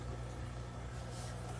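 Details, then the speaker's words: Pawfly fishroom air pump just plugged in, on its low setting: only a very faint, steady low hum barely above room quiet, no buzzing or rattling, while still delivering airflow; normal quiet running. "so this is plugged in don't really hear anything"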